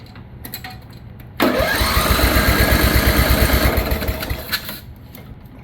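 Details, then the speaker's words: Free roadside riding mower, first start after fresh fuel line and cleaned tank, no fuel filter, jump box on battery: cranks, catches, runs rough and uneven on choke, won't idle and stumbles down; hard start on choke. "little chokey too oh no what happened oh yeah she don't want to idle but she runs freaking right boys"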